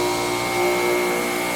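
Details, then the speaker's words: Harbor Freight 8 in bench grinder after fix, wheels running true, green stone and fine stone fitted; smooth steady whine at even pitch, no thumping or bouncing: normal running. "But I got it to where, if you notice now, these wheels are running true and straight."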